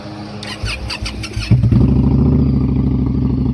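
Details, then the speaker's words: 2018 Indian Scout 60 V-twin with new S&S intake and Crusher Maverick exhaust, before Dynojet PV3 tune: brief starter whir, catches at once, settles into steady even lumpy idle; starts and runs normally. "It's a good sign. Bike started right up."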